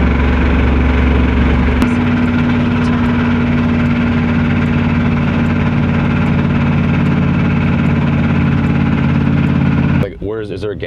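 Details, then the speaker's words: 1979 dually truck on a roughly 1,000-mile interstate road trip: loud, rough engine with a heavy pulsing knock under the drone, steady at idle. Owner suspects a spun bearing and rod knock that could send a rod through the block. "back to the road trip home over that sounds like a rod knot I mean we can we can go as far as we can but I think it's like I think it's uh I think a bearing spun so it's it's going to send a rod through the block any moment"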